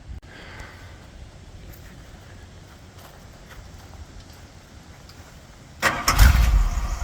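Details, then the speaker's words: 1981 Bombardier Wide Gauge with rebuilt 318 engine and 727 Chrysler transmission, restarted after sitting about 2 years: quiet, then catches at once into a low, even rumble idling about 600 rpm (could be raised to 700-800); clean, healthy start. "Turn the key and go. Idling about 600, it could be turned up to 700 or 800 for idling."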